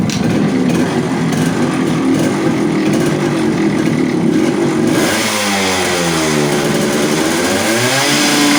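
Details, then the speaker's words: Yamaha RX100 two-stroke after clutch bell upgrade and carburetor re-adjustment; settles to even idle, revs up and down cleanly and drops back steadily: normal idle and revving. "तो भाइयों मैंने carburettor की setting कर दी है, और अब start करके देखते हैं।"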